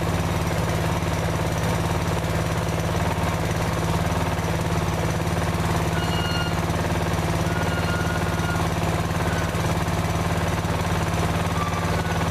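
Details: Older Briggs & Stratton 16hp OHV single-cylinder mower engine after a valve clearance adjustment for noisy valves: a steady thump of about three firings a second, even, with no valve ticking. It runs healthy and quiet.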